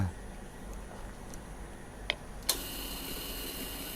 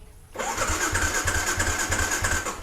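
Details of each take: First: At key-on of a Ysuku with the seat off and the microphone near the tank, a newly replaced fuel pump clicks, then whirs faintly for about two seconds and cuts off cleanly, priming fuel to the throttle body normally. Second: A Ysuku showing ER1 on the meter: the fuel pump is silent at key-on, and the starter spins with a high whir and even chuffs, about seven a second, but never catches. Fuel pump failure or no ECU supply to it is suspected.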